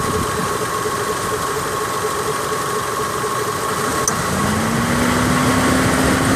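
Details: 2003 Mitsubishi Lancer idling: a steady high squeal rises and holds each time the AC compressor cuts in. Either the bearing or the compressor is suspected of going bad before the compressor is replaced.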